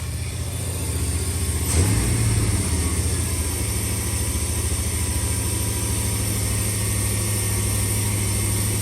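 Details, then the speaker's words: 1989 Suburban whose idle was set at 2200 rpm to compensate for an unplugged IAC valve and vacuum leaks: strong, steady fast idle with a firm low drone, running too high while being dialed back down. "I guess this thing had been so long with the IAC unplugged and messed up and vacuum leaks, but they had the idle set at 2200 in order for it to even run. So yeah, we are having to dial it way back down now."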